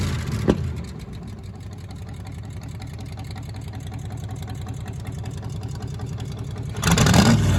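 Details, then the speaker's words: 1935 Chevrolet school bus rat rod, first start after sitting, just refuelled with a hot battery fitted: old engine catches, settles into a steady loping idle, then revs strongly near the end; normal cold start and revving. "Oh, and it starts right up. All we did is put some fuel in it, a hot battery in."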